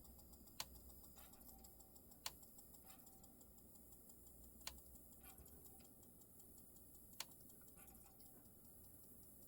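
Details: Secondhand Marantz CD6006 CD player making sharp, crisp clicks every two to three seconds over faint hiss while the disc spins; it also gives no sound after track 5.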